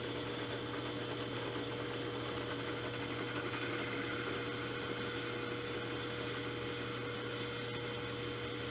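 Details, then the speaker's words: 3-inch R8-shank boring head with indexable bar, repaired after arrival faults, taking a 0.015 in cut: steady, even cutting hum with no chatter or knocking; clean, healthy cut. "well there you can see the tool is performing and uh let me um let me get reset up and we'll have a final discussion about the tool"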